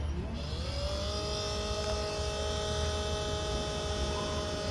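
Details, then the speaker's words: 12 V to 110 V inverter that works normally: at switch-on a whine climbs and holds as a loud, steady buzzing hum coming from the cooling fan. Noisy fan motor. "esse barulho ele tá vindo aqui da ventoinha beleza"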